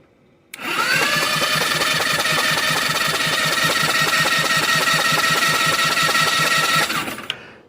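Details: 2013 Yamaha Zuma scooter with GY6 engine swap, just after replacing the 12-pole stator with a new 8-pole one, checking for spark: steady starter whine with even compression chuffs at about 2–3 per second; it cranks normally for six seconds.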